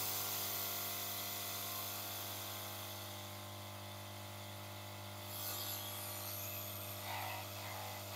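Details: Yihua 968 DA+ III soldering/desoldering rework station with the cover off: steady, even low buzz of constant pitch with faint rattles. The air pump is loud, and some internal cables resonate and were tie-wrapped out of the way.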